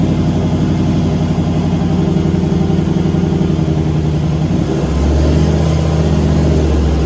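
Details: Turbo LS V8 Caravan with 4L80E automatic, warm, headers baking off: revs climb and hang high at light throttle, then the note shifts; 24% throttle reaches 4000 rpm at only 45 kPa (idle ~40); owner suspects transmission slippage, fluid checked.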